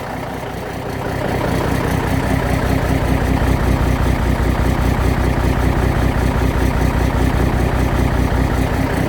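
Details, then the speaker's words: Cummins 444XT big cam diesel with suspected bad injectors, idling cold after about a minute and a half. A steady rhythmic whoop-whoop comes through the exhaust pipe and is felt as vibration and as exhaust puffs. One cylinder is skipping and misfiring. "That's a direct skip coming right through the pipe. It even resonates through the vibrations."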